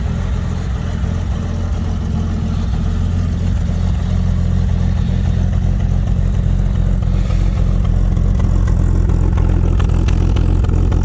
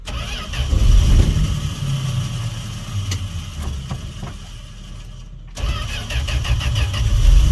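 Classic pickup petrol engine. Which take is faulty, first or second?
first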